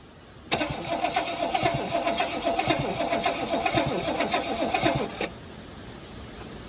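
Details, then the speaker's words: Toyota LN65 Hilux with 253 V8, sitting about a decade, slow cranking on a jump starter, fuel spitting; uneven beat with one stroke thumping harder, a wallop possibly from bled-down lifters or a dead cylinder, not confirmed. "All right, so she's cranking over. It does sound like it's got a bit of a wallop in it. That could just be lifters that have bled down, or it could be a dead hole."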